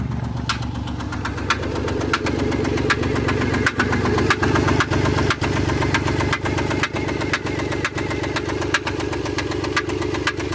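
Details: Chrysler Pacifica 3.5 at 128,000 miles, smooth idle with a sharp, even tick about two per second and no fault codes; owner wonders whether it is a rocker arm, lifter or misfire, cause not confirmed.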